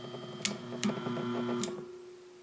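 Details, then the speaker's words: Lakewood HV-14 fan motor on a test run after cleaning, oiling and realigning its bearings. A quiet, smooth hum with a few light clicks winds down gradually and freely; the motor runs quieter now and the bearings spin free. "nice and freely now I just plugged it in because I want to just give it a test run [Music] as you can hear the motors quieter"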